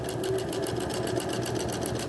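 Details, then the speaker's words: Sewing machine stitching straight at a steady, even rhythm of about eight to nine stitches a second, no skipped stitches, after the needle bar was adjusted to cure skipped stitches in straight and zigzag. "não falhou ponto vou trazer aqui para você ver que não falhou ponto ó não falhou ponto e a costura ficou retinha aqui ó"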